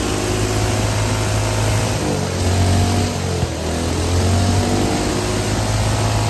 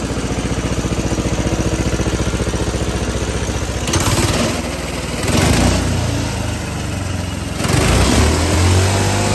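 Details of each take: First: Hydrogen-fuelled combustion engine with petrol, methanol and diesel swapped in for the usual water injection, run with hydrogen nearly off on almost 100% diesel; vibrating heavily with uneven thumping knock, yet still running. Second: Homemade hydrogen combustion engine with water injection replaced by 100% methanol, hydrogen mix, needing more hydrogen than with petrol and an idle adjustment: steady even beat around 220 a minute with clean throttle blips; runs smoothly, better than on petrol-hydrogen.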